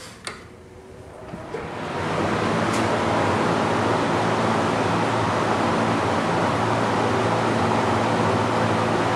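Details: Master Flow EGV5 1450 CFM gable-mount attic fan spinning up over about two seconds to a steady, even air rush with low hum, no rattle or knock; ambient about 43 dB before switch-on; healthy fan.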